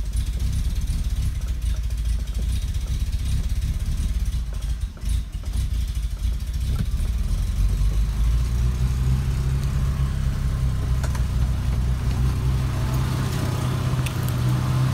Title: BMW Bavaria Idling issue / vacuum leak